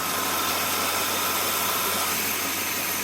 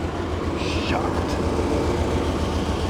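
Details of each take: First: Chevy Blazer after cleaning and resealing gasket and plugging vacuum lines to fix sputtering idle; steady even idle with smooth hiss, no misfire or knock, burning off oil from the cylinder. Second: Chevy Blazer with sputtering idle, first start: uneven, lumpy chugging about three to four beats a second, dropping between three and four cylinders; owner suspects bad gas, rough running.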